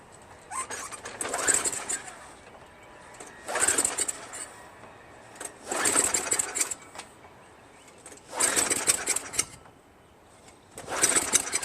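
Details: Craftsman Eager 1 22" self-propelled mower, Tecumseh 5.5HP engine, rebuilt carburetor fitted, gas added: short sputtering bursts every couple of seconds, dies each time; owner suspected spark or fuel, governor found sticking and adjusted.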